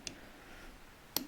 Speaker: all you got to do is use your thumb to push it inwards until it clicks and is positioned behind every teeth